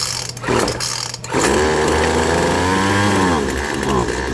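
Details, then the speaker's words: Poulan Pro 25cc trimmer with a newly installed carburetor and fuel line kit, started on full choke. The two-stroke buzz sags and wavers instead of climbing cleanly: bogging from a mixture out of adjustment, set with the two carburetor adjustment screws. "So it's bogging. Let me get you set up the other side here. Most of the time it will not bog."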